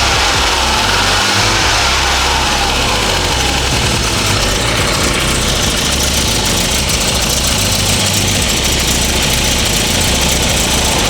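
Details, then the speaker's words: Classic car: busy uneven idle with raspy hiss and ticking puffs in the exhaust note from an exhaust leak; otherwise runs well, no longer sputtering on throttle. "Guys, apart from the exhaust leak, this engine sounds good."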